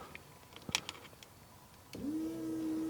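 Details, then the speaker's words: 1992 Nissan 300ZX Twin Turbo, over 30 years old: the fuel pump is run directly off a probe with its ground wire jumped to drain the tank, giving a steady, even mid-pitched electric whine; meant to be run in stages to avoid overheating it. "and there we go now my only concern of doing it this way would be of course burning the fuel pump um so I'm going to try and run this in stages and let it rest and cool off but we should be getting all this gas out"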